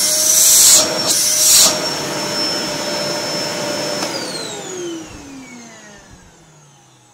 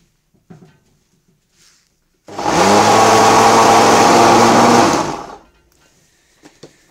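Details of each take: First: Samsung SC4740 1800 W canister vacuum after repair of a noisy, humming motor; steady high motor whine for about four seconds then smooth spin-down at switch-off; healthy motor run. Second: Samsung SC4740 1800 W bagless vacuum cleaner, noisy and humming: runs about three seconds with a coarse droning hum under the airflow rush; motor probably burnt out, possibly from sucking construction dust.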